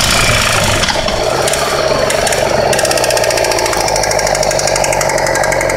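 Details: 2008 Yamaha R6 riding: harsh mechanical clatter rising and falling with engine revs, disappears when the clutch is pulled in; rpm-dependent drivetrain noise, source not pinned down.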